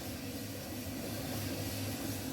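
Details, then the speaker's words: Alliance/Speed Queen commercial dryer, tested with the door switch powered directly before the panels are refitted, after replacing the damaged drum idler pulley, bearing slide kit and pulley nut. Steady, even drum rumble with no knocking or squeal: normal dryer operation. "it's working like that not like before it's making loud noise now no any loud noise it's working properly"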